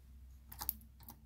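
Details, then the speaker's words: Ryobi 3302M offset press, main oscillator at the delivery end, rocked by hand from the non-operator side: quiet irregular clunks about three a second from a worn drive block with free play, which can cause shock lines on prints. "you see the play in there and we want to get rid of that because that'll cause shock lines sometimes if you're printing a big screen you can actually see because the oscillator when it changes direction is not a nice smooth change"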